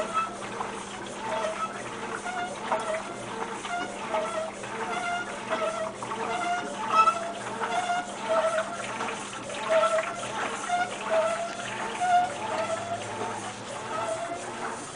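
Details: Maytag Centennial MVWC300XW washer: high squealing chirps come and go in rhythm with the agitation over sloshing water, heard during the first wash cycle and then stopping; the source of the screech is unknown.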